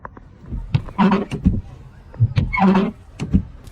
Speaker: did you hear the wipers make a harsh noise when working don't be deceived in this situation